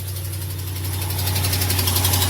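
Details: Ram 1500 V8 cold first thing in the morning at idle: quick light ticking over the low hum, from an exhaust manifold leak, not a Hemi lifter or camshaft tick; heard on both sides.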